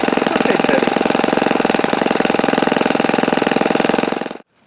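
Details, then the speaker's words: OS FS-48 Surpass model engine on a bearing-check run: fast, even, rattly buzz held steady at considerable high RPM, mixture being richened after earlier knocking, then clean cutoff; no sound of bad bearings. "Okay, so maybe I didn't have it tuned properly the last time I ran this, because it seems to turn quite considerable RPM now."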